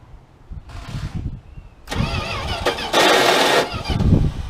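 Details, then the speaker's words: 1979 Dodge D100 with a replacement starter that turns slowly, cranked with gasoline dripped into the carburetor and compression evident: uneven stop-start cranking with brief high free-spinning whirs as the Bendix drive kicks out of the flywheel. Starter drive disengaging while cranking. "Whenever that happens, it's just dirty ignition contacts and stuff. You got too far. So whenever that happens, you just stop, let it slow down, and go again."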